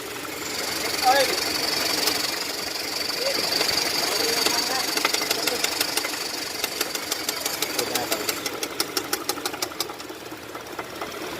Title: Engine Knocking Sound.